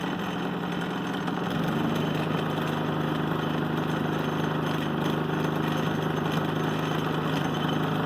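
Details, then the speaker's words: Harbor Freight Predator 3500 W inverter generator, nearly full on gas: catches and settles into a smooth, quiet, steady drone with no misses or knocks; quiet enough to talk over; normal. "And then start right up. It is so quiet. I can actually talk and I don't have to yell."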